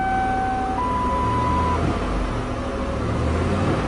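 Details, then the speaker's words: 1997 Lincoln Continental engine after taping a burnt spark plug wire: steady, even low idle with no puffing or stumble; the puffy, thumpy misfire returns when that wire is unhooked. "no more little puffy sound let's do the final test sounds good here"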